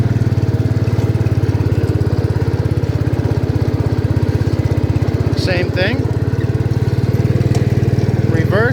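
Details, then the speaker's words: 1972 John Deere 110 revived after years in barn, driving in gear: deep even thumping exhaust pulse, steady, no knocks or misfires, faint squeaks; runs healthy. "so this thing's amazing it runs awesome"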